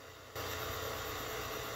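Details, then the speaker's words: 1971 Philips Model 1530 cassette recorder recording from a phone through the more sensitive microphone input, with the volume turned down: steady, even hiss, no hum or ticking. The noise is suspected to come from the phone rather than the recorder. "so the microphone input is more sensitive and i can turn the volume down here listen to all the noise"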